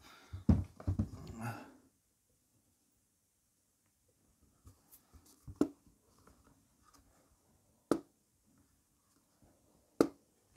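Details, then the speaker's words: MacBook Pro A1708, lid being opened after the plastic antenna cover was partly trimmed. A quiet room with a few sharp, isolated cracks every couple of seconds as the lid moves. The crackle is much reduced but the antenna cover is still rubbing against the case at the hinge. "so much better guys so much better but you still hear the cracking sound but i can see that it's that part that yeah much better much much better than before"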